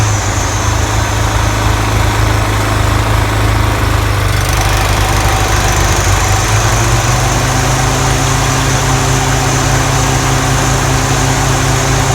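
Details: Toro TimeMaster 30-inch mower deck after replacing spindle lower ball bearings and setting belt tension to cure loud rubbing: steady even drone, no rubbing or scraping; deck runs smooth.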